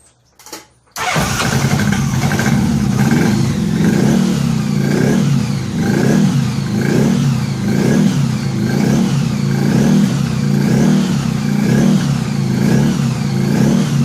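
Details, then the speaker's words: Honda Gold Wing after head removal and new head gaskets, run briefly with no coolant and moisture still in the crankcase: short crank, then it catches and holds a steady, fairly even idle with a slow swell; no smoke, no weird noises, running normally. "she wasn't smoking no weird noises learned an awful lot of garbage off the exhaust"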